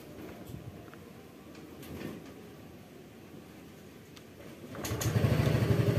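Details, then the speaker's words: Yamaha Fazzio scooter (made March 2022) with a starting and battery-drain problem, starting after the battery was topped up with water and charged to 12 V: quick, strong start settling into an even, steady idle; the battery cranks fine. "nah ini kita coba buat ngangkat starter kuat apa ndak tuh"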